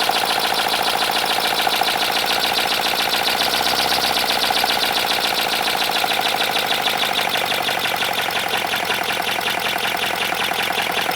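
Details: 3D-printed 412cc V8 engine made of ASA, running: fast, busy, tinny clatter over the engine, harsh and rattly like parts running dry; owner suspects it needs lubrication and plans to pour engine oil into the intake.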